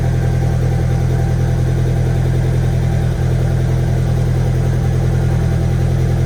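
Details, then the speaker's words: VW 1.8T engine first start after rebuild, turbo oil line unplugged: low lumpy idle with uneven pulse about three times a second, like a slight misfire. "at least sounds a little weird almost like it's like misfiring a little bit"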